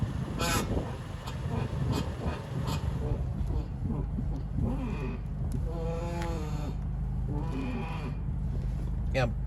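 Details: 2015 Toyota Corolla LE with electric power steering rack: loud groaning whine rising and falling as the wheel is turned, felt in the wheel and brake pedal; owner feared the rack or strut mounts, but the cause was a dry outer tie rod end.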